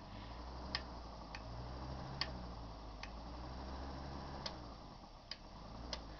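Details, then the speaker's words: Arduino remote-controlled small fan: sharp single relay clicks at irregular moments as buttons are pressed, over a faint fan hum; normal relay clicking. "Donc on entend bien les cliquetis des relais."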